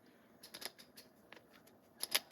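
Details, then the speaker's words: Plomb 5249 ratchet after a cleaning bath, before disassembly: bursts of sharp, uneven clicks as one direction ratchets rough while the other side sounds good. The owner fears rusted or broken internal parts. "she is a nice old old ratchet and listen to her now this actually when I after I got it out of the bath it don't sound as good"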